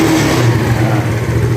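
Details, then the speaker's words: Yamaha Mio carbureted scooter after a new carb vacuum (diaphragm), closing the worn slide gap and replacing the needle jet; normal idle and an even, strong drone at half throttle with no stutter: smooth throttle response. "bagian langsamnya sudah normal gasnya juga ditarik setengah juga dia nggak brebet ya"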